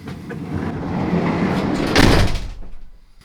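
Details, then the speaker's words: Peugeot Boxer L2H2 van side sliding door after Dodo Mat sound deadening: heavy dull thud on closing with no tinny panel ring, only a faint rattle from loose items in the back. "something's rattling in the back it's not the door door closes nicely sounds nice"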